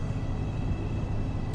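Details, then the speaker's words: 1971 Buick LeSabre Custom 455 V8 warming up at idle: smooth, even low rumble with no tapping or ticking from the valvetrain; engine sounds healthy, with power steering pump noise noted. "good news is I don't hear any ticking yet"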